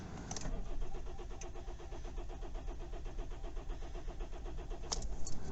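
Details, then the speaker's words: Kia Ceed/i30 CRDi diesel after fuel filter replacement for hard starting, glow plug light on: starter churns at five or six beats a second for several seconds before catching; slow start, possibly air in the system. "that's not starting straight away though it's not starting straight away there either"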